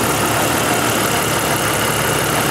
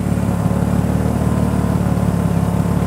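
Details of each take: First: 1988 Jeep XJ 4.0 after knock repair with new rod bearings and lifters: a smooth, quiet idle with no knock, only light fast injector ticking over the hum, with a slight rolling surge in idle. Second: 1988 Jeep XJ 4.0 inline-six after new rod bearings and lifters, knock and exhaust leak cured: steady, very quiet idle with a faint uneven puffing from the muffler through a crack on its bottom.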